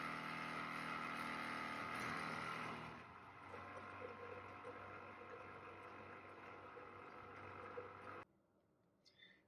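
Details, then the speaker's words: Natufia water tank drain pump emptying the tank for cleaning, level starting around 78%; quiet steady hum that runs evenly for several seconds then cuts off cleanly; normal drain pump operation. "So you will hear the noise, and the tank is kind of heavy noise, and the tank will start to empty, and we will start to see the tank water level that will drop step by step."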